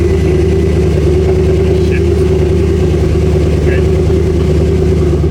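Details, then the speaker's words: Porsche Cayenne GTS V8, abandoned project car, first start: very loud, uneven, lumpy idle right after start, rough running that feels like heavy misfiring; cause unknown. "That doesn't sound good, does it? That didn't sound that good in the end. I turned it off, so it didn't die. But still, it felt like a lot of misfiring."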